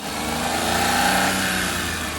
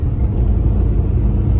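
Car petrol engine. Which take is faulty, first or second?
first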